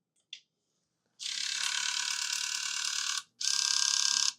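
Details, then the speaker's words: Nintendo Wii with a bad disc drive, cleaned of hair at the spindle and partly reassembled: rapid high-pitched ratcheting and grinding on power-up, the same sound as before. The motor spins freely. "That happened, which is the same sound it was making before. So, this guy's freely spinning."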